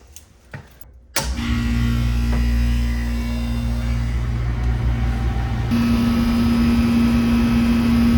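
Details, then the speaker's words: R22 heat pump/AC unit restarted after its wiring was checked and the breaker reset: quiet, then a clean start into a steady low hum with fan rush and no chatter or buzz. Draws 19 amps total, within range, and the suction line is cold. Normal running. "19 amps total. I'd say we're well within range. Suction line's beer can cold."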